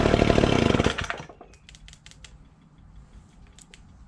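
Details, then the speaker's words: Ryobi two-stroke leaf blower, stored about two years, after cleaning and priming the fuel system: crisp, even buzz for about a second, then winds down cleanly when shut off; runs healthy without any carburetor tuning. "i'm actually really surprised i didn't have to do any tuning on this it sounded really good after it cranked up"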